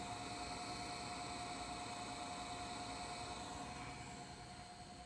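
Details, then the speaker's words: 1978 RCA VBT200, the first US VHS VCR, during playback; faint hiss with a steady pulsing beat about three per second from the spinning video head drum, in time with picture wobble; owner suspects a bad ball bearing. "picture wobbles with that sound so it's at like the same beat so I believe there's a bad ball bearing in there"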